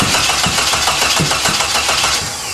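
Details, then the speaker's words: Jeep engine cranks in an even rapid rhythm with uneven puffs but never catches, after the distributor was reinstalled and number 1 cylinder plugged in; the distributor is likely 180 degrees out. Cranks but will not start. "Alright, stop. So that means that more than likely that distributor is now 180 off."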